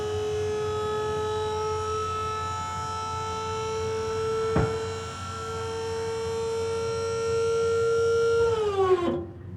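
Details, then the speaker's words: Diamond C MDT mid-size dump trailer hydraulic lift raising dirt, pitch steps up as cylinder enters the faster third stage, then winds down at full lift; steady normal hydraulic whine. "Here in a minute you'll hear it change pitch again, and it'll go to the third stage, which will end up being a little bit faster again."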